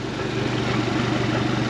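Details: 2017 Suzuki DF115 four-stroke outboard after a 300-hour service (oil, plugs, water pump, gear oil, anodes, fuel filters) that fixed rough idle and stalling: idling in reverse on the flush hose, smooth and even, gear case fine.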